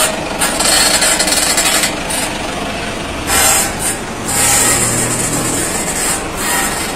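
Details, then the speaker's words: Lifted vehicle, front suspension levered against the steering knuckle: dry, raspy metal-on-metal scraping/squeal bursts from a worn lower ball joint with play, dried out after mud got in. "bueno miren Cómo suena sale la resequedad de la rótula como tienen juego y le entró barro están reseca y suena el hierro con hierro"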